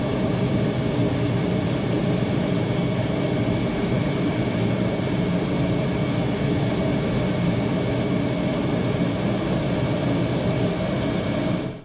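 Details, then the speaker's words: Torpedo heater after rotor replacement and filter cleaning (previously fan started then shut off after about 15 seconds without firing): loud, even burner and fan roar holding constant about twelve seconds; heater fires and runs properly. "never touched the air pressure settings so I'm not going to check them I don't feel the need to as long as everything is running correctly"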